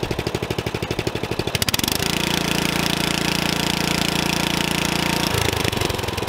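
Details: Old Murray riding mower single-cylinder engine, used-mower inspection, burns about 8 oz of oil per two mowings: idling then revved, light ticking rattle over the exhaust beat. Worn valves rattling.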